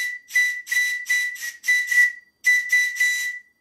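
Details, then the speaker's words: Original bell-type steam whistle from a large model Showman's traction engine, blown on compressed air: clear, steady whistle through short even blasts, stable pitch; whistle sounds okay. "and as you can hear it sounds okay"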